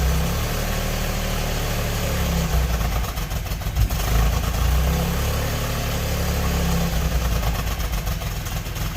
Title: 1992 Subaru SVX misfire